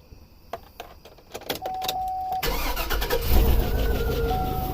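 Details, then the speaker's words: 2004 Chevrolet Suburban 6.0L 4x4 at cold start: V8 cranks and catches, then runs with a loud clattering valvetrain rattle like a train, from lifter bleed-down and valve sealing issue causing rough starts; purge valve also found stuck open. "hear the lifter noise when I first started I brought it out here it sounded like a train"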